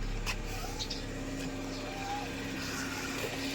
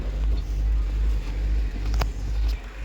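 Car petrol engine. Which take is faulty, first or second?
second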